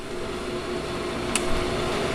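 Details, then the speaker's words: Accu-Turn 8922 combination brake lathe, apparently unused, from a municipal garage, running on the disc brake portion: soft steady hum with faint even whir and one small click; everything tight, nice quiet machine. "Everything is nice and tight on it. Nice quiet machine."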